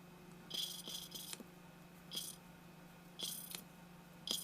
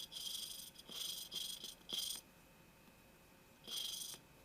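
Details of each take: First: Mitsubishi Eclipse 420A engine valve lapped by hand with coarse grinding compound and assembly lube on the stem: soft, smooth scraping strokes in irregular bursts about once a second, grinding fading quieter as the valve seats. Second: Mitsubishi Eclipse (2G build) valve job: valve dipped in assembly lube, lapped with coarse grinding compound; short gritty scratching bursts as valve twists on seat, grinding not yet gone quiet, so valve isn't mated yet and needs more lapping.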